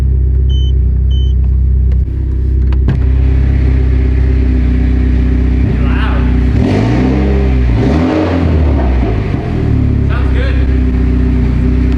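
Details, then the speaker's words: Mitsubishi Evo 10 after a cam gear repair, with code P1025 expected: an even, deep idle, then several clean revs rising and falling smoothly with no misfire or rattle; sounds healthy. "i'm gonna rev her up if i start to miss firing which i don't know how it would i'll be pissed but we should be all right"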